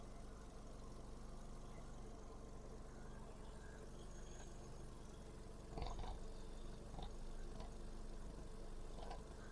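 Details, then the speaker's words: 2008 VW Golf 5 1.6 MPI BSE petrol, manual, 147,000 km; quiet even idle with soft steady hum, no smoke, misfire, crankcase breathing or tapping; runs quiet and smooth, no remarks. "Не димить, не троїть, не сапунить. 1.6 MPI BSE. Ваш улюблений легендарний мотор. Працює тихо-рівно, ніяких зауважень немає."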